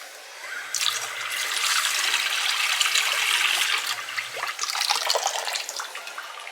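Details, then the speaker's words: Water rushes with a hissing, spitting sputter in irregular bursts as the pressure tank refills after the well pump was shut off; air is still purging from the water line being bled out through the tractor. "Ooh, I still hear air in that."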